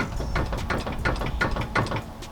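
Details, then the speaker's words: Ford Foxbody Mustang with front end on ramps: sharp, repeated clunks about three times a second as the steering is worked, from a worn inner tie rod, not the rack, before replacing the inner tie rods. "it's definitely a tie rod yeah you can you can hear it clunking pretty bad"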